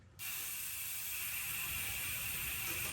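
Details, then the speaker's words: Mountain bike rear wheel coasting: fast, steady, high-pitched buzzing ratchet from the freehub pawls, normal for this hub but noisy and annoying on long trail rides, before silencing it by packing grease into the freehub body. "When I'm out there on the trails for 30, 40, even an hour, and you constantly hearing,"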